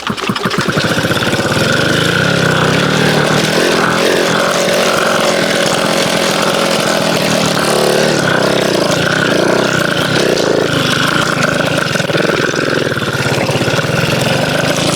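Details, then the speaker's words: MBK 51 two-stroke moped, first start after refitting throttle cable and fuel line: catches after a few kicks, revs unsteadily and won't settle to a clean idle; owner suspects mixture slightly too lean and plans to open the richness screw. "Il se passe quelque chose. Il se passe quelque chose. [ __ ] ! Après, elle est peut-être trop pauvre aussi. Elle est peut-être trop pauvre à peine."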